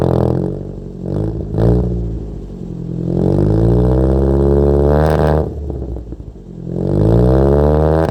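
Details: Wrecked Toyota Corolla after the distributor timing setting was changed: engine surges unevenly with a lumpy beat and sags, clearly down on power and not drivable; cause not confirmed.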